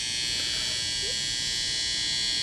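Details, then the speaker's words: Old BC Rich project guitar, single-coil plus humbucker wired Strat-style: constant thin electrical buzz; pickup hum from poor cavity shielding, resolved by proper wiring. "hello just do a quick video on my buzzing humming problem with my this project here press the kill switch and it goes away and then let it go straight back"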